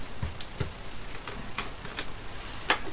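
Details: Echo AudioFire 4 external sound card, one input channel: irregular sharp ticks about twice a second over faint hiss, levels bouncing faster and faster; failed overloaded input preamp chip, needs replacing.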